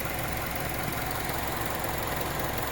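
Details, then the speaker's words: Mazda CX-7 2.5 L DOHC 16-valve variable valve timing engine, non-turbo, about 126,000 km, original battery, cold start at -9 degrees. Smooth, even hum with no knocks, ticks or misses; healthy cold idle. "yeah burning like a kitten in fact it sounds like a sewing machine"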